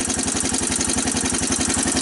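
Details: 1985 Honda TRX250 ATV single-cylinder, first cold start with choke on, in neutral: clattery top end over even firing pulses at idle; lots of mechanical noise, cause not pinned down, owner suspects oil burning.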